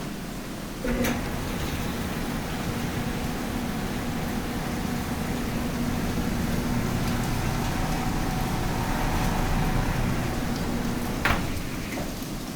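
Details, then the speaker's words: Maytag dryer after replacing the wobbly, faulty blower wheel that caused rumbling: even, steady hum and tumble with no heavy rumble or knocking; runs smoothly and sounds healthy. "yeah so the room like stop sounds much better"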